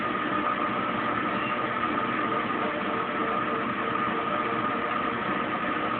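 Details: Kenmore Oasis top-load washer being repaired for OL code, 10 minutes into spin, phone stuck to machine: steady even whir and faint constant tone as drum spins up and pump drains; no knocks or grinding, normal spin, no error code.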